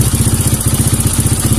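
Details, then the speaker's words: Kawasaki KLX 150 with a vacuum carburetor, running without the slide spring: the single-cylinder putts with an uneven, wavering beat, and the slide won't lift cleanly on throttle. Refitting the spring restores response. "Hier können Sie sehen, dass es jetzt nicht stabil ist. Geben wir ihm eine Feder."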